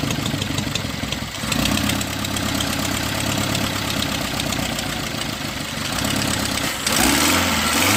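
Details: Neon four-cylinder SOHC swap, first start after setting timing and swapping sensors and injectors, coolant temp sensor not yet connected: catches and settles into a fairly even idle, then blips up near the end; healthy normal idle.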